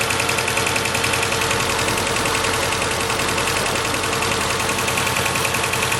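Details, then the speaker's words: 2006 Mercedes A150 (W169) petrol idling with an uneven, stumbling beat, about three or four lumps a second, from cylinder 4 misfiring despite fuel, spark and compression; caused by open circuit in injector 4 wiring. "And I know there is fuel because all the other cylinders work, and I know there's compression because I checked, but still it's misfiring."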